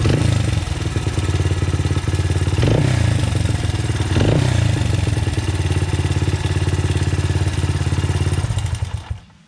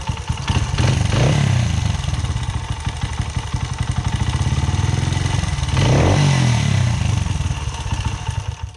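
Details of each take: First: 2009 Honda CRF 80F single with Pro Circuit exhaust, free non-running project bike: quick light top-end ticking over idle rises with each throttle blip; timing chain slap suspected, tensioner adjustment made little difference, valve clearance check next. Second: 2009 Honda CRF80F with Pro Circuit exhaust, revived after sitting, idling just after valve adjustment: quick even single-cylinder putter with two throttle blips and light steady valve tick, judged normal.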